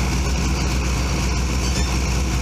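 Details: Subaru run with the radiator cap off to check for head gasket trouble; choke won't stay out: low, even idle with a steady beat and no misses, knocks or hissing, showing no sign of head gasket trouble.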